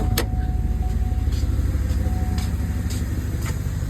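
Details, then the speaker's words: 2011 Cadillac Escalade, 6.2L V8 with Active Fuel Management, 178 (thousand) miles, known lifter tick. On day two, after Marvel Mystery Oil, Sea Foam, an AFM disabler and hard freeway pulls, a restart gives a steady, even idle with no tapping. The tick is gone. "I decided to go outside and start the Cadillac once again and I did and the noise is gone"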